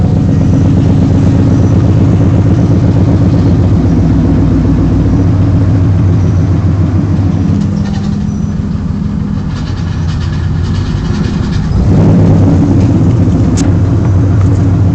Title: bad pilot bearing